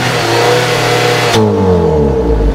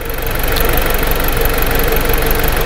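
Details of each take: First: 2010 Jeep Patriot being cranked and run on a scope: runs steadily, then cuts out abruptly and winds down as the crank trigger circuit stops switching to ground, suspected from strong ignition coil kick hitting the 5 V reference and circuits. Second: 2010 Jeep Patriot after an intermittent stalling fault was repaired by cleaning grounds and a crank variation relearn: steady, even idle with a smooth low rumble, no stumbles, misses or surging; normal idle.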